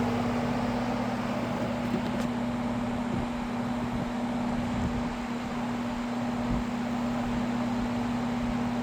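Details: Happy Home window box fan on high after weeks unused, on a cold night: steady low hum with a constant tone over a smooth airy rush, no rattles or ticking; running normally.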